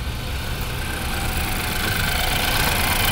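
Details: 2015 BMW X3 with N20 petrol engine idling after start, slightly uneven lumpy beat from misfire; blinking check engine light and rough running, misfire codes on cylinder two, dead ignition coil.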